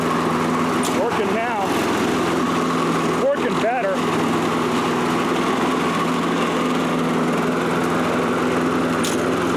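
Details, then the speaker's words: Toro Recycler self-propelled mower, apparently made January 2010, with auto-choke carburetor, after repair: steady even buzz with no misses, surging or knocking; normal running. "so he's going to have a nice running lawnmower again"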